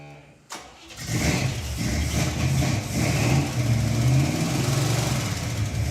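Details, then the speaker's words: Cheaply home-rebuilt 454 big-block in a '73 El Camino with a bad cam, just fired on pumped fuel: rough, lumpy, limping idle with a big top-end clack and backfiring, running on seven cylinders; a flat cam lobe is suspected. "I think we definitely need to pull the valve covers it's making a big clack it's running on seven it is"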